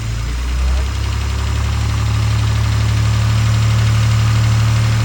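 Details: Maserati with a cranks-but-no-start fault, after a jumper replaced a corroded, broken shielded pickup wire: the engine catches after about a second and settles into a steady, even low rumble with no misfire; it starts and runs properly.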